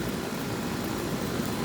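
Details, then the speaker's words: Outdoor AC condenser unit after freeing a seized fan blade, started via Honeywell delay; steady even air rush and fan hum, blowing leaves and very hot air, no scraping or ticking; fan running normally. "Blowing some leaves out. Flaming hot air coming out of it."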